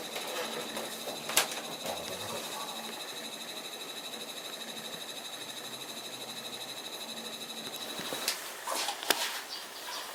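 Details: Daikin ATR40TPE4-W air conditioner indoor unit. A fast, steady chattering rattle over a thin high whistle: an abnormal running noise, source not pinned down.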